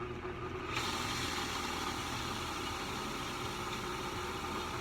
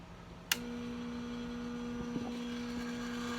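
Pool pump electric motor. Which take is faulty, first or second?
second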